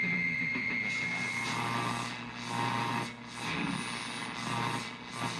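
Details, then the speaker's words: Rockseed RS-310P 0–30 V, 10 A programmable switching bench power supply powering a converted car radio: hissy, wiped-out stations with faint steady whistling carrier-like tones. The supply radiates excessive RFI/EMI. "oh right away that doesn't sound good can't you hear that radio station this thing is really putting out a lot of rfi and uh not acceptable listen it sounds like little carrier signals"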